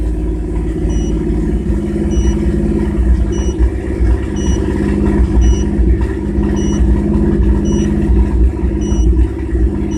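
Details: 1997 GMC Jimmy held at 2000 rpm while watching live data: the engine note stumbles with uneven pulses and dips in the rumble instead of a clean hum, a misfire.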